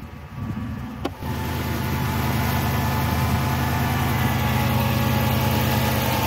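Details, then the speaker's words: 2006 Chrysler 300 after serpentine belt drive work, started the next cold morning, engine cover on, after the owner's complaint of loud belt squeal on cold startups: brief crank, then a steady cold idle with no squeal or chirp; normal cold start. "So far, so good. I'm not hearing anything."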